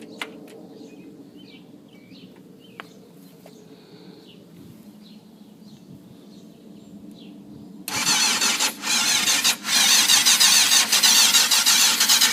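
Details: 1992 Yamaha FZR 600 that cranks but won't start, despite carbs cleaned the night before, fresh gas and a fuel pump clicking until the carbs fill: the starter whirrs steadily and never fires; owner suspects fuel not passing through.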